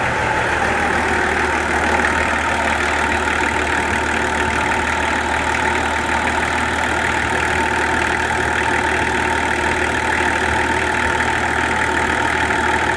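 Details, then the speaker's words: Nissan LD28 diesel, not run for years, started with repaired starter motor; steady even diesel clatter at idle with no misses or uneven knocks; sounds like a healthy engine. "Not only is that running now, but it sounds good. It sounds like a good engine."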